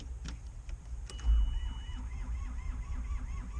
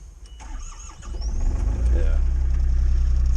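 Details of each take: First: Takeuchi TB135 diesel excavator, cranking after full glow plug cycle: slow, labored, even starter rhythm without firing; battery suspected weak, as it starts right up with a jump. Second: Takeuchi TB135 mini excavator diesel, unstarted for over a month, glow plugs heated, brief crank then fires right up to an even low thrum; starter needed whacking, suspected dirty inside; normal diesel start.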